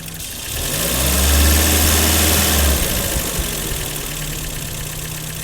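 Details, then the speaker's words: 1984 BMW E30 318i that failed smog, after its idle control valve was cleaned; idle is unusually low. The idle swells, then sags and stays lower in gear with an uneven rumble, and the owner suspects ignition timing is off. "well I'm gonna go put it in gear and see how far the RPMs drop that's really strange"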